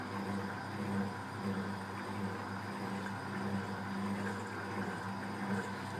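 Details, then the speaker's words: Fisher & Paykel Smart Drive washer, after lid locks: steady low motor hum with soft spray hiss, no knocks or grinding; normal, quieter spray rinse spin. "that's going to be a bit quieter on the spin so once again it's clicking for the deadlock lit is now locked and so it's going to go into the spray"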